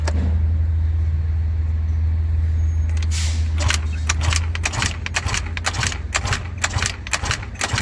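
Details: Eaton Beamer Matrix 2 scooter on rebuild, throttle open with choke on: repeated kick-start strokes about twice a second, each a dull thump and spin, never catching; cylinder compression measured only 60 psi.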